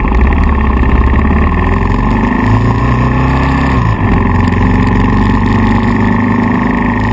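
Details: KLR 650 single-cylinder thumps steadily, then briefly stumbles with a tach drop: intermittent misfire roughly every one to two minutes after CDI failure; stator, pickup coil, CDI twice, plug twice, ignition coil, wire and cap replaced without change.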